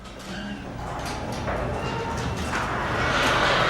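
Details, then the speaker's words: Garage door after the metal rollers were replaced with new rollers and sleeves, but before lubrication: much quieter rolling on the track, yet short high squeaks remain mid-travel. "Oh, it's much quieter already. Still have that squeaking in the middle. That's what we're going to take care of, but the actual rolling on the track is way better."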